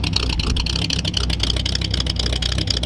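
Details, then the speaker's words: 1938 Ford Convertible after building true dual exhaust, barely run since, black smoke and fuel smell; deep uneven idle lumping along with irregular stumbles, no leak ticking: running rich, needs carburetor adjustment. "Oh, it's running right. You gotta adjust the carburetor. That's all."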